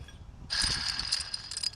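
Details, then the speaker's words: 2012 Subaru Outback 3.6R: with the belt off, the old idler pulley spun by hand gives a harsh, gritty, high-pitched whir that fades over about a second. Its bearing is worn and caused noise at idle, after the tensioner bearing was already replaced. "This one feels worse than the than the one we took off for the tensioner I mean it's really bad!"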